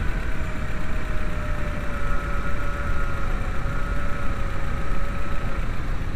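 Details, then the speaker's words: VW New Beetle 2.0L AEG after fixing a cylinder 4 misfire: steady, even idle with a low rumble and a faint constant whine, no stumble or miss, still clearing leftover fuel from the cylinder. "better already, but it's clearing the gas that's in the cylinder still."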